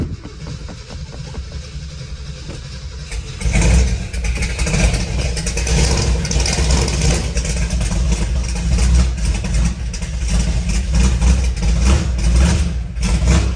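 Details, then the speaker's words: 1968 Ford F250 with rebuilt hopped-up 390 V8, long-tube headers and true dual exhaust, 57,000 miles, first start after sitting over 1.5 years: starter churns on a weak battery, then loud, lumpy but even run; normal running, loud exhaust. "she is rowdy that battery's not liking it"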